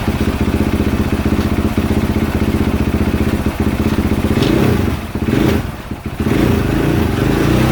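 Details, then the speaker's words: 2022 KTM 450 SXF after transmission repair (5th gear had failed), on stand during heat cycle, run through gears: steady single-cylinder thump at brisk idle, revs dipping and recovering as gears engage, smooth, no clatter; normal gearbox. "actually I'm going to do part of this heat cycle right now on the camera because I'm going to run it through his gears on the stand let's do that bre out"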